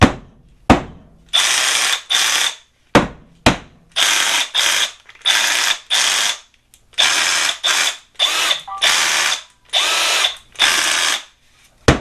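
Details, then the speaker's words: Milwaukee M12 Fuel SDS hammer drill, reference for correct sound versus its fault of shifting out of hammer: crisp even hammering in short bursts, each trigger pull starting clean and steady; normal hammer action. "so we're going to make it stop doing that and make it sound like this"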